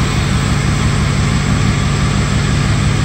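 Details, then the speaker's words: 2005 truck with a history of no-starts and a cam fault tied to an aftermarket remote start (now removed), fully cold at 73 degrees: fired right up into a steady, deep, even idle with no knocks or misses; normal. "but once again it fired up fired up all good"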